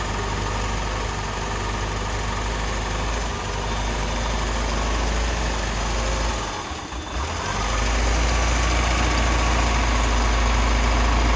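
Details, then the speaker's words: 1988 Lotus Esprit, first start after sitting, hot-wired with new injectors and plug wires: deep idle that wavers and nearly stumbles, then steadies. Smoky, likely from WD-40 poured in the cylinders; air-fuel mixture is off. "It doesn't smell like oil or gas right now. So the air-fuel ratios are definitely off because I'm"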